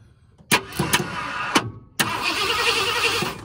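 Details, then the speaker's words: 1978 Ford Bronco Ranger XLT 400 V8, sitting 20+ years, first start attempt after adding fuel: short bursts of cranking with the starter whirring, never catching; distributor turns, and the ignition timing is a tooth off. "Well, it does not like that. So let's see. It acts kind of like it didn't feel too happy about me putting some gas in it."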